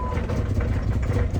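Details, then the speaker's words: $100 Jeep Grand Cherokee, no fuel pump heard, run on starting fluid without fuel supply: engine catches briefly, runs lumpy and uneven with low irregular chugging; suspected fuel pump issue, engine itself good. "sounds hideous does sound bad there we go we got it to fire up so we know we got a good engine"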